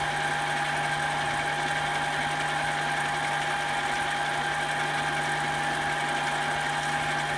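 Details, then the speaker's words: Manual mini metal lathe at 650 rpm, light ten-thousandths finishing cut after the tool post was tightened: steady, even mid-pitched whir with no chatter or rattle; clean, smooth finishing cut. "this looks very clean machine feels better"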